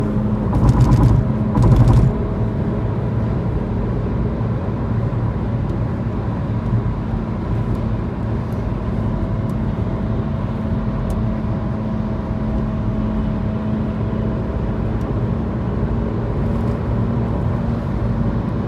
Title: Mini f56 recurring humming noise , Any idea what this sound could be ?